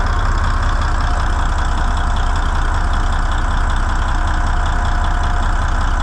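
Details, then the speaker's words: N14 Cummins diesel with a new ECM, manifold pressure sensor code 433 still present: a steady, deep idle with an even chug about three beats a second, no misses or stumbling; starts far easier than with the old ECM; a normal idle. "sure starts a lot easier than it did with this new ECM in there that other one I had to crank and crank and crank to get it to start for that other ECM in there"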